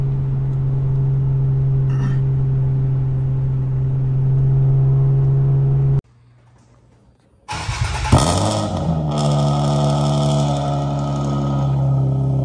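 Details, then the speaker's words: Nissan Maxima with a swapped 75,000-mile engine and transmission, OBX headers and a new Vibrant Performance muffler. A steady hum, then a restart and climbing revs with a smooth, muted note and no drone or rasp; not too loud at high rpm. "also on a high rpm it doesn't have really really loud which is pretty good so it sounds much quieter"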